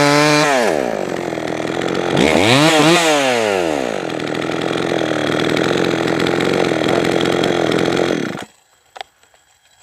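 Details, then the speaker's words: Jonsered 525 chainsaw after richening the low-speed mixture and raising idle: crisp rev rising and falling quickly, then a steady even idle until shut off with the choke (no on/off switch); runs cleanly. "you can find an on off switch on eBay but dang thing's running good now"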